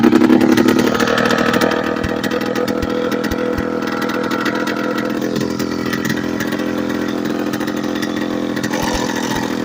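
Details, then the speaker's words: Late-1990s Polaris Explorer two-stroke ATV run without exhaust for two years: loud, raspy buzz holding a high, slightly unsteady idle, too high to shift into high gear; high idle from missing exhaust. "a lot of the time it idles high so high that it will not shift in the high it"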